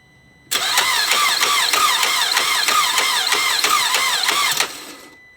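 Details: 2009 Chevy Traverse cranking but not starting, battery good, oil present: sharp knock at about four beats a second with electronic high-pitched whirring persisting after; engine confirmed failed.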